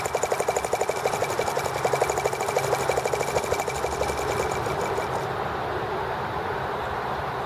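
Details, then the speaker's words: T26 model engine idled slowly: slow, uneven popping run about three beats per second with sharp ticking crackle from spark arcing around the plug; fuel line earlier kinked against flywheel. "hear the spark going around the plug."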